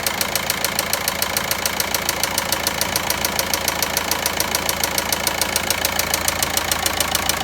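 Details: VW Passat 1.9 engine at idle: sharp, very regular ticking knock around three and a half per second over a steady idle; source undetermined.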